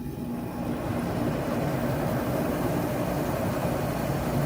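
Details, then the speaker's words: Arctic Air dehumidifier after replacing a stuck, pitted 20 A compressor relay. A steady low hum and airy rush with no clicking or cycling: the compressor kicked on and the fan is blowing warm air normally. "I heard the compressor kick on. I don't know if you could hear that, but the fan's on."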